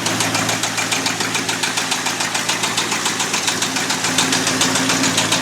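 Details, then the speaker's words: Abandoned 1989 Ford F250 5.8L V8 started on a new battery after fuel injector wire repair, never revved: loud, sharp, metallic knocking about three or four per second over the idle; an engine knock, cause not yet known. "But that's a loud knock. Never revved it up."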